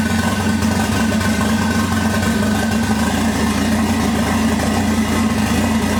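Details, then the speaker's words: 1988 MK3 Supra with swapped 1JZ-GTE VVTi, just first started after fuel pump fix: steady idle with slightly uneven lumpy beat under the drone. Owner believes the slight roughness is wiring or plumbing, not mechanical; unconfirmed. "alright guys as you can see it's running a little bit rough but i'm more than certain it's nothing mechanical and it's either to do with the wiring or maybe even the plumbing"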